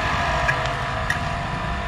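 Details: 220 V, 200 W electric water pump after its failed start capacitor was replaced with a same-size new one. It has a steady, even motor hum at constant pitch with no groaning or stalling and turns freely: normal running.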